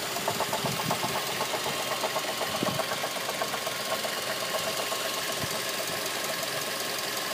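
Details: 2006 Mazda 3 at idle: light, uneven tapping about twice a second; engine knock, cause unknown.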